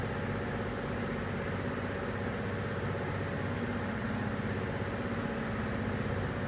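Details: Toyota Tundra 3UR-FE V8 idling with uneven lumpy beat from a cylinder number 7 misfire, before engine rebuild.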